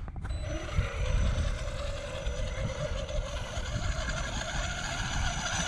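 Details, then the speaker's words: Traxxas Sledge RC truck, stock except a 15-tooth pinion: at slow speed the motor gives a rough whine with uneven rattling; owner thinks the motor is done. "I need to figure out what that noise is. Oh. Just the motor doesn't even sound good, does it? No."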